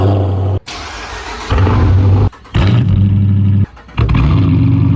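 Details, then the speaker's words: 2015 Dodge Challenger R/T V8, rebuilt car, straight-piped with no mufflers, starting: cranks and catches into loud, raw, deep rumble; straight-piped exhaust, mufflers needed to pass inspection. "So you may know that this car is actually straight piped."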